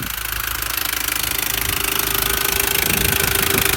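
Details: R53 Mini Cooper S engine at idle with a fast, even tapping or rattling, about three per second, over a steady idle; source unknown.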